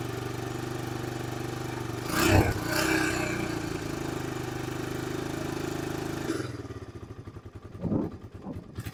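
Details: 2002 Honda TRX300EX single, restarted after fuel was drained and refilled, choke back on: steady fast beat, then lower, slightly lumpy idle while warming. Normal warm-up idle on choke.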